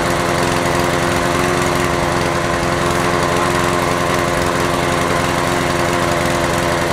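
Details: Honda HR17 lawn mower, single cylinder, running smoothly at a steady fast beat with no misses or surging after a no-start fault; fuel leaking with carburettor bowl gasket suspected, and points contact suspected.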